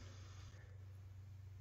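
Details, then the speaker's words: ART Pro Channel II tube preamplifier fed at 118 V: only a faint steady low hum under near silence, no buzz; buzz returns around 122.5 V and worsens at 124 V. Normal quiet operation. "if I bring it up to say 124 the sound is that much worse and that would not be ideal for a studio environment so we'll leave it down at 118 and it's quite as can be"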